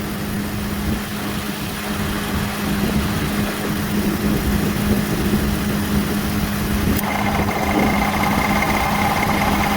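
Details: Engine idling evenly, then the AC clutch clicks in and a damaged variable displacement compressor adds a rattly whine, which stops when it disengages; internal compressor knock when engaged.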